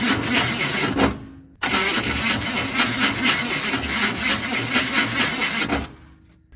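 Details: A long stretch of steady, even cranking pulses that never catch; reluctant to start, and the owner says it doesn't sound good. Cause unknown.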